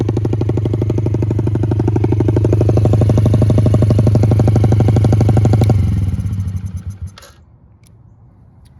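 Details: 2006 Yamaha TT-R50 after carburetor cleaning and a new battery: small single-cylinder thumps at a steady, even beat for about six seconds, then cuts off and coasts to silence; healthy running.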